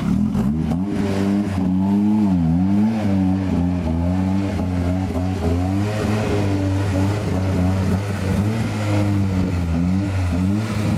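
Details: Escort Cosworth race car after misfire fixed: engine climbs and drops through the revs under boost with a clean continuous note, no popping or breakup; running normally.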